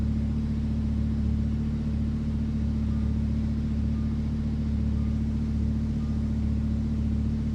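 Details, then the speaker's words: Rebuilt wrecked Lamborghini Huracan, first start after swapping engine control units, no coolant, short run to check leaks: deep smooth even idle with faint tick about once a second; runs cleanly. "I'm really happy the car started. I can't run it for that long. It has no coolant in it."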